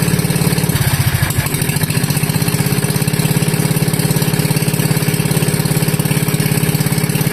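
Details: Wisconsin Model AB engine running on fuel from the tank, fuel petcock barely cracked, choke open: catches about a second in, then settles into a loud, sharp, even open-exhaust bark with no misfires.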